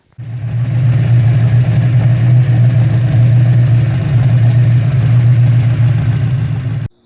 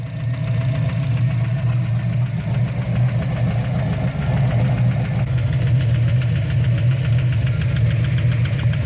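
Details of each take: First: Turbo Mustang V8 after drag-strip knocking and rebuild with new hypereutectic pistons, rings and gaskets, just restarted: deep steady even idle with no knock or tick, sounds good. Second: Turbo Ford Mustang after drag strip runs (12.9 s at 116 mph), ticking began on late passes; low heavy idle with dull regular knock keeping time with the engine, traced to bottom end, metal found in the oil; bottom end knock.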